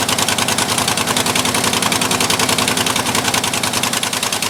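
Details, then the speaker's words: 1958–59 Ford F600 grain truck, 330 V8, long unstarted, after float-level screw adjustment: steady, somewhat uneven running with a wet hiss on top, far too much gas coming out; carburetor flooding, owner suspects needle and seat. "all right that is a lot of gas a lot more than it should be i think we'll take our needle and seat out"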